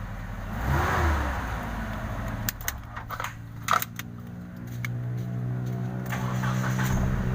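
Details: Mitsubishi Space Gear after ECM relay repair for a no-start: a few uneven knocks and clatters, then the engine catches and settles into a steady, even low idle with no misses; normal idle.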